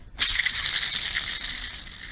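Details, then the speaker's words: Mercedes SL600, original idler pulley removed and spun by hand: dry, rough grinding rasp fading as it slows; the bearing is gone and the pulley has play; it was replaced. "maybe yeah you hear it this pretty there the bearing is gone in there it's actually even have play in it"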